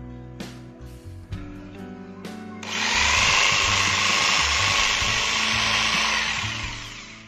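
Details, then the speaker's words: Makita 4327M jigsaw after about 2 years of use, trigger locked on, mid speed: steady high buzzing whir, no rattles or speed hunting; running cleanly, switch undamaged. "Jadi, sampai saat ini, ternyata tombol sakelar masih berfungsi dengan baik dan tidak rusak sama sekali."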